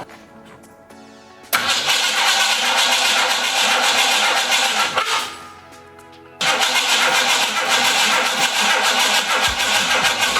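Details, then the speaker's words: 1968 Mustang with ignition problems, cranking after a loud bang on key-off: catches on a few cylinders in ragged bursts, sputters and dies; owner suspects distributor 180° out. "okay well we're getting somewhere okay I think I might be 180° out"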